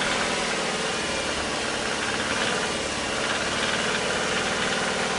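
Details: Subaru Forester SF5 with EJ20 Turbo engine, automatic or manual gearbox, at idle: fast, even knock tied to engine speed beneath the engine note; worn connecting rod bearings.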